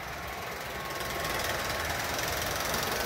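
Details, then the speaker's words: Bachmann Union Pacific F unit model locomotive on track: quick steady clunking about four times a second following motor speed, heard from the rear; fits a bad tooth in the drive gears. "there's a clunking noise in one the gear so you can hear it in the back yeah it's just a clunk"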